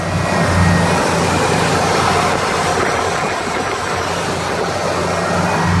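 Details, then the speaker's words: 1978 Thunderbird, 351 with rebuilt 2-barrel carburetor, about 50,000 miles: loud lumpy idle pulsing near four a second, held high to stay running; suspected mystery vacuum leak not found. "that the carburetor he done and everything as you can tell it kind of got to be idle DUP a little bit to stay running"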